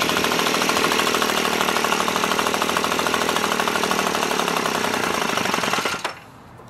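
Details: Echo PB265LN leaf blower two-stroke, freed from seizure, fuel leaking: fast buzzy running with rapid uneven chatter held high about six seconds, then cuts out; high idle, idle screw all the way in, gas-soaked air filter suspected.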